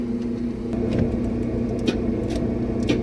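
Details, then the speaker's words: 1976 K5 Blazer that sat 5-8 or more years, MSD ignition: sharp clicks about every half second over a low drone, and it turns over very slowly. The starter sounds horrible; the battery is low and the connections bad, and the ground gets warm. "I got clicks the starter sounds horrible the batter's low which it shouldn't have been already got bad connections but it does turn over very slowly"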